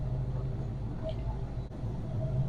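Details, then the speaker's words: 1967 Chevy Bel Air wagon, sat 30+ years, rear jacked up, in gear with wheels turning, clutch faulty: low, soft, even idle rumble with no misses or knocks; engine idling smoothly, transmission engages. "the transmission does engage and this engine is still sitting here burning like a kitten"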